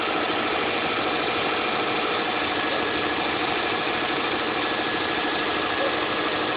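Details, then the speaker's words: 2006 Saab 9-2X Aero, cold start first thing in the morning, no air conditioning on; steady, even idle with no knocks, ticks or misses as it settles after starting, a normal cold idle. "This is what the vehicle sounds like from a cold start. First thing in the morning. I guess it'll reach idle at some point."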